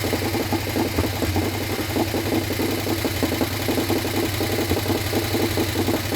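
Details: Harley Sportster 1200 V-twin, swapped in after sitting outside full of water, first start without rebuild: quick even light tick over loping idle, following engine speed; top end thought dry after oil poured in, expected to clean up.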